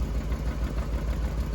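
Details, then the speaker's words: 1994 Corvette manual, first drive after restoration: steady low idle with a dull regular knock about six times a second that stops with clutch pedal pressed and returns when released; suspected clutch or transmission, cause unconfirmed. "Every time Henry has the clutch in right now, it's quiet. But when he lets it off, the noise comes back."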